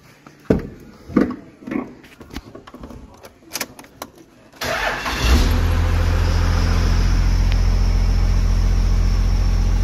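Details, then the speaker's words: 12-valve diesel with 48RE swap, after new crank sensor and new alternator: clunks, starter cranks, engine catches and settles into a steady, even idle with no knocks, charging over 14 volts. Normal idle. "way better that's over 14 volts that's a little better"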